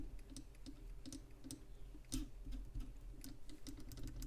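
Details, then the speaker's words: Motor of a 1973–77 RadioShack Realistic Chronomatic 106 flip clock radio, with no ball bearings, freshly oiled to see if noise goes; faint steady hum with light uneven ticking chatter; dry motor bushing noise. "there so we're just going to let that oil work in there and see if that noise don't go go away"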